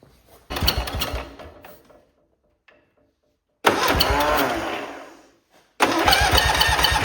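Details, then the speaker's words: Cub Cadet Cyclops garden tractor with Kohler 18 twin, restarted to check whether the noise is a noisy electric clutch bearing: cranks and fires in short loud bursts with harsh, raspy chuffing; turns out to be a blown head gasket, to be replaced. "To remove that whole motor, I'm glad I didn't take the electric clutch off. All it is a blown head gasket."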